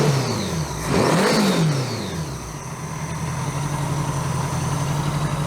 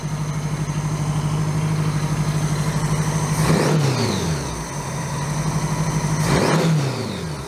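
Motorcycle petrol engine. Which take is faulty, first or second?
second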